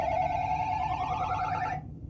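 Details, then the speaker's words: 1981 Stern Viper pinball machine under restoration; bright, warbling electronic tone held under two seconds then stopping, heard while testing switches: what sounded like the credit-up sound. "Oh, you hear that? That sounded like a credit up sound."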